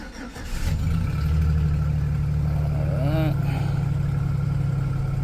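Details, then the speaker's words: 2008 GMC Sierra 4.3L after ignition coil replacement for a P0305 misfire, with the code cleared: cranks, catches quickly, settles to a smooth, even, slightly high idle while the computer relearns, with no stumble or miss. "Sounds like the computer's relearning a little bit. RPMs are definitely a little high on the fire up. Probably where they need to be."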